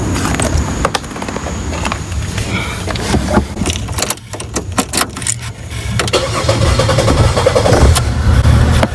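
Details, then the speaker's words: 2002 Chevy Monte Carlo after installing and reprogramming a used body control module for a diagnosed failed BCM: short crank, fires straight up and holds a steady, even idle; normal start. "we go she's starting right up sweet"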